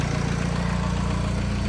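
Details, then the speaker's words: Steady idle with a thin constant whine that is present with the A/C off and goes away when the A/C is turned on; a worn A/C compressor clutch pulley bearing (part 35BD219DUK), whine persisted after greasing. "I wanted to pay attention to that noise it's it's like a whining noise like that so when I turn the AC on it goes away I turn it off it's it's there so it's something related with the air compressor"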